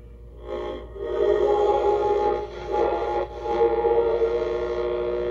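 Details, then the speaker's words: Vintage radio from a trunk of old electronics, tuned on AM indoors: steady nasal buzz with fixed tones over faint program audio; interference from TV transmitters about three feet away. "We're hearing the TV buzz from the TV transmitters that are right next door here at 3 feet away, and that buzz, you can hear that buzz from the TV transmitters."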